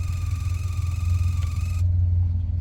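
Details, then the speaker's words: Sea Ray 19 boat running, with a steady low hum and faint high whine droning through the speakers. It is stereo related; back-feeding through the amp, speaker wires, RCAs or a bad amp are suspected. Speaker hum. "it's back feeding through the amp which I think's probably in here our amp right here let's twist some things here oh listen that's weird is that the speaker wires the sub these are all speaker wires that's very strange"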